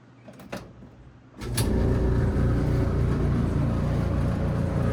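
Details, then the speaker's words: GE dryer that runs and heats: a click, then a loud, coarse low rumble and rattle at startup. The cause is lint buildup in the blower fan, fixed by cleaning the blower housing. "It's almost like a rattle sound. So, if your GE is making this sound, I'm going to show you how to fix that."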